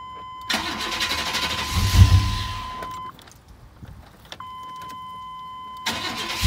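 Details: 1999 Chevrolet Tahoe 5.7 V8 4x4 that wouldn't start, after cleaning cabin fuse 21 and its contacts: under steady warning chime starter turns briefly and engine catches and runs, restarts cleanly; normal start.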